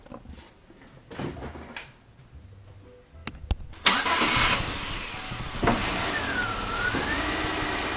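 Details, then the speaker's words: 2005 Chevy Uplander 3.5L V6, just after water pump replacement, started to circulate coolant: quick start then smooth steady idle, no squeal, knock or rattle; normal, later no overheating or leaks. "so let's start this thing get it to circulate let's go from there"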